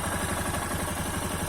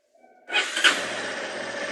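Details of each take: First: Yamaha XTZ Lander 250 single after repair of the engine noise, which a mechanic blamed on a worn clip in the cam: a steady idle with a light sewing-machine clatter from the top end, normal for this Yamaha engine. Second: Yamaha XTZ Lander 250 single, before repair: starts and blips twice, then idles with a light metallic chatter over the exhaust; mechanic found worn cam chain tensioner letting the chain rattle, noise fixed by the mechanic.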